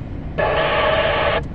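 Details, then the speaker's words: Midland MXT575 remote-mounted radio with squelch at 9, maximum: a one-second burst of harsh hiss opens and cuts off as it breaks squelch on its own with no S-meter rise; once only when cold, now constant. "it's breaking its own squelch. But you don't see any SS numbers going up there. It says it's receiving, but the S numbers don't go up."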